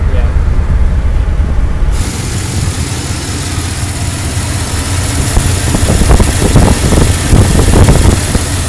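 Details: LT1-engined Roadmaster: uneven idle that stumbles and surges, with irregular puffs and chuffs breaking the rhythm; bog, misfire and hunting revs, cause not yet pinned down.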